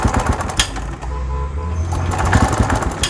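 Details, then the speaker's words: TVS XL 100 BS6 moped, fully charged battery, kick and self start fail: starter chatters and engine turns over in uneven bursts but never runs; crank no-start, fuel pump problem suspected. "ఏదైతే మనకి starting moment వస్తుందో ఆ moment వస్తుంది but start అయితే అవ్వలేదు"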